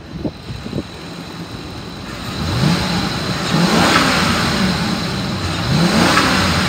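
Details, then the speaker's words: 2014 Ford E-350 XL van, 5.4L V8, 86,158 miles, automatic, running over an hour without overheating: smooth steady idle into repeated clean revs, no misses or knocks; normal engine revving. "motor sounds good it revs up nice and it idles smooth"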